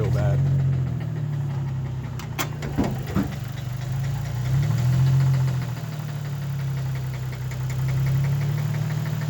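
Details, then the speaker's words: 2004 Infiniti G35 coupe automatic, 137,000 miles, jump-started after dead battery: loud uneven knocking at idle, about four per second over deep drone; stalls when put in gear. Owner suspects rod knock or broken cam bearing. "r that knocking and if i put it in gear it stalls so like to move the car on my foot and on the gas to move it"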